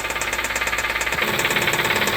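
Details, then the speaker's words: 2014 Kia Soul 2.0L GDI at idle: loud steady knock, about nine sharp raps a second, source unknown, worse when accelerating; starts fine; engine to be removed and torn down. "I said it starts right up every time but it's making a lot of noise I don't know exactly where it's coming from"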